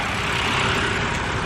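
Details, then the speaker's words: Storm-damaged BMW, just after an oil change, with new valve cover gaskets and a newer alternator, about 30–40 miles driven. A steady, even idle hum with no knocks, ticks or misses. It runs and shifts well and sounds healthy. "um and i mean it sounds really really healthy it runs really really well it shifts good"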